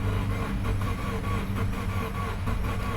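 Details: 2013 Subaru Forester SJ, FB16 naturally aspirated engine, crank no-start on a jump pack: a quick, even, unhealthy crank that never fires; compression loss or flooding was suspected, but the cause is no spark, with the ignition coils getting no power.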